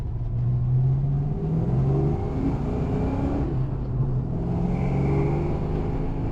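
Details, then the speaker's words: 1990 Mustang GT Fox on a test drive after a distributor rotor fix and top-dead-center setup: a deep, even engine rumble pulling smoothly through the rev range and gears, with no knocks, misses or rattles. Normal acceleration, and a faulty rotor is thought to have been the cause. "car actually drives real nice well I'm thinking it was just that rotor"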